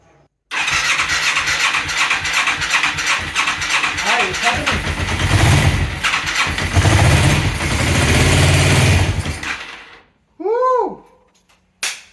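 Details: Yamaha XS400 cafe racer project, retry with battery borrowed from an SR250 after earlier slow cranking, spark plugs suspected poor: quick brisk cranking catches within a second into uneven rough running that dies after several seconds.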